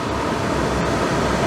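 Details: Suburban RV furnace after cleaning (had struck and smelled of gas but wouldn't light), gas line passing soapy-water leak test: even, unbroken whooshing burner roar over a low fan hum, no popping or surging; lit and running normally.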